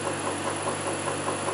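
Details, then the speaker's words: Land Rover LT230 transfer box, listened for at points on the casing: sharp ticks about five times a second over a steady hum, loud at the intermediate shaft; ran hot, plans to strip it and take out the intermediate shaft. "not there but it is loud here right where the intermediate Shack is"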